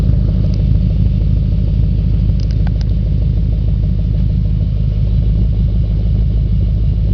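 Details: 2004 Audi S4 4.2L V8 at idle, oil pressure over 100 psi at idle (gauge possibly hooked up wrong): steady idle with a dull, fairly regular knock about three per second over the low rumble; engine knock at idle, cause unknown.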